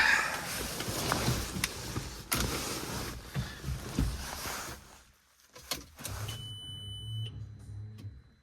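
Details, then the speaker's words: R32 that sat outside for a long time, key on: after handling clatter, a thin steady whine as the electric fuel pump primes, cuts out, then primes again; fuse good, owner suspects a clogged fuel filter or little fuel in the tanks. "Yeah, the fuel pump is priming. I mean, it primed and then cut out and then primed."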